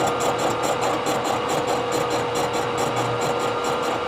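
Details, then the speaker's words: Face milling a warped Ford V10 exhaust manifold with a 3-inch face mill, some inserts possibly worn, mill tram just reset: rapid even cutter ticking with light scratchy rub behind; face mill heel dragging on backside. "can hear it just lightly scratching on the backside"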